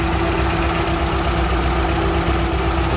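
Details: Restored MGB GT on its first start after mechanical work, idling: even low rumble at steady speed with the electric cooling fan humming on top; no knocks or misfires, fan cooling well.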